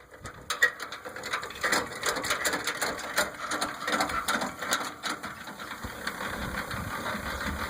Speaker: The trailer leg works really well.